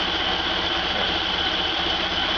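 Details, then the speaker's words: Freshly rebuilt stock Ford Model A engine (NOS Tilly carb, FSI Zipper distributor, Bill Stipe B 330 cam, matched DMC crank and timing gear) running on a stand after a throttle blip: steady even run with constant hiss, no knocks, misses or shake, very little vibration; normal. "Alright, sounds good. And very little vibration."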